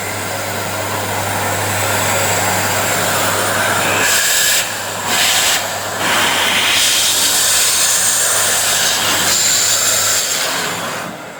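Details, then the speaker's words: Panasonic MC-CJ911 vacuum cleaner after repair: strong, steady airy rush with no grinding, then spins down smoothly. Strange noise came from broken bearings and bad smell from worn carbon brushes; fixed by fitting a new 2000W motor. "vấn đề đã được giải quyết, giờ thiết bị này hoạt động tốt"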